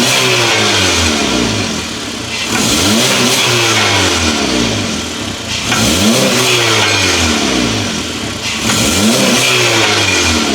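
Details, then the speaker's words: 2014 Honda Accord Sport, rattling under car while driving, camera under car: repeated revs carry a loud raspy hiss and rattle swelling with throttle from a massive hole in the disconnected exhaust flex pipe, which shoves the rear catalytic converter backward. "we got our car back in the air, and what it's looking like is we have a massive hole right here in our flex pipe. It's disconnected."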